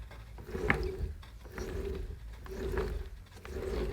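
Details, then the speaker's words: Jeep XJ spare low-mileage AX15 manual transmission, largely unused for years, turned by hand: soft, even whirring with no grinding, much smoother than the worn original, which ground when turned. "it's much smoother but one big job i i really want to do and get out the way is resurfacing the flywheel so that's what we're going to do next"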